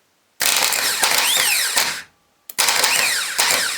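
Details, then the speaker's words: Mercury boat engine starter motor, bench-tested on battery after sinking, cleaning, regreasing and a replacement solenoid: two short bursts of high-pitched whirring that dip and surge slightly, a bit jumpy, but judged alright. Uneven starter spin. "Well, it's a bit jumpy, isn't it?"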